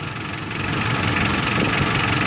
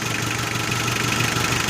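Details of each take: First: 4D56 diesel, warmed 10+ minutes to operating temperature, idling steadily at about 680–690 rpm with even, light clatter and no hunting or misses, right after fuel enrichment screw adjustment on the injection pump; idle sounds properly set. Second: 4D56 diesel, warmed to operating temperature, with the fuel pump enrichment screw turned clockwise a little to add diesel: steady clatter at a slightly high, even idle of about 680–690 rpm; the extra fuel has raised the revs.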